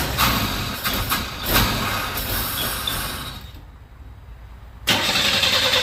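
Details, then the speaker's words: 1961 Chevy Bel Air with a new starter, auxiliary fuel pump removed and mechanical pump working, carburetor not yet adjusted: cranks and catches with uneven loud pulses, nearly stalls, then picks back up; owner thinks the carb is getting too much air. "carburetor just sounds like it's getting way too much air"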